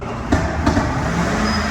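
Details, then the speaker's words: 2003 Mercury Grand Marquis 4.6L V8 with a long crank and rough running despite a new fuel pump and plugs; two sharp back pops over an uneven rumble on acceleration. Fuel pressure stays under 20 psi, suspected pump leaking inside the tank. "You guys heard that? That back popping is the sound of the engine starving for fuel."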